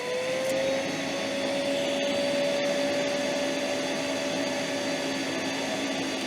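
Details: Metabo AS 36-18 L 20 PC cordless wet and dry vacuum on boost: smooth steady whoosh with a constant high motor whine holding its pitch; vacuum running and pulling normally.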